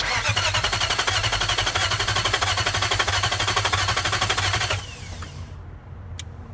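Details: Swapped-in 2003 VK45DE V8 (original 2002 had a blown head gasket and possible spun bearing), fuel pump not heard at key-on, occasional small backfire: steady cranking at about four compression pulses a second, never catches; crank, no start.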